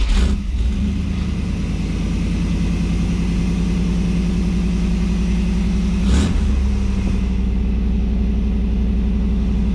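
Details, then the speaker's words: 1989 Firebird Formula, tired 350 V8, cold start after fitting Hooker headers, mid pipe and Y-pipe with the air cleaner off: cranks and catches quickly, smoky at first, deep steady idle, crisp rev dropping back smoothly. Runs properly, loud with the air cleaner up. "So, after all, it is a pretty tired 350, but she runs pretty good as you can see. Real loud because I got the air cleaner up."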